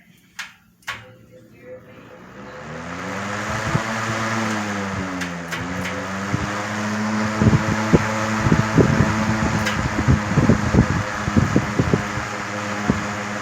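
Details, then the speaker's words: 1970s 16-inch Toastmaster box fan fitted with a 1940s desk fan blade set replacing the bent original: steady low motor hum, even airy whoosh, faint ticks; runs smoothly with little vibration, big improvement. "no not much of any vibration to it it's putting out some airflow there big improvement"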